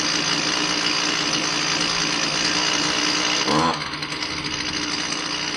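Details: Husqvarna 128L string trimmer after fuel line replacement and new carburetor metering diaphragm (old one stiff, caused bog): high buzzy two-stroke drone held steady, dropping cleanly off throttle; running healthy.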